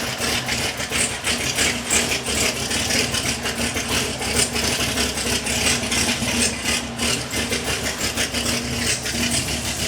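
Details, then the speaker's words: 2020 Camaro 1LE V8 just fitted with a TSP EL C7 cam, Speed Engineering longtube headers and stock NPP exhaust, first start-up while untuned: choppy, loping idle with a rattly exhaust edge. Oil pressure is good, with no leaks or engine-bay noises; the rough idle comes from the missing tune. "But yeah, it's full. It's untuned right now, that's why it sounds weird."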